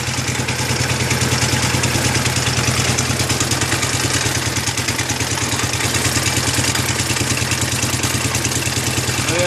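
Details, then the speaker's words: IH Cub Cadet 149 tractor, 14hp Kohler K321A single-cylinder at idle: steady thumping with rattly metallic clatter over it, attributed to the PTO clutch; suspected, not confirmed. "the pto clutch making all that noise in there"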